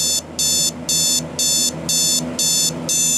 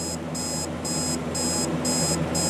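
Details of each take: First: Alarm clock with the beeper on the bottom, alarm just set: shrill beep bursts about two a second, ten in a row, even and regular, then stopping when snoozed; the alarm is sounding normally. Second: Clock alarm: repeating high beep bursts, about two per second, faint over room hum. The owner suspects the price sticker is covering the beeper; the cause is unconfirmed. Quiet alarm beep.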